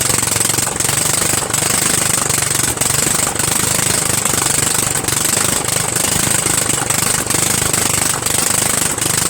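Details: Murray Widebody LT 14.5 42" lawn tractor at its first start after adding gas, with the muffler off: a harsh, raw, rapid popping bark with a loose rattle at steady throttle. It is extremely loud because the exhaust runs open; the muffler needs to go back on.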